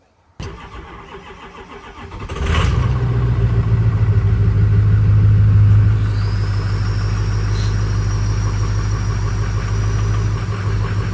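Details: Ford Power Stroke diesel truck after fitting a new exhaust back pressure sensor and cleaning the air filter. It catches after a brief crank and settles into a steady, even idle with a low, smooth clatter and no odd knocks. Normal idle.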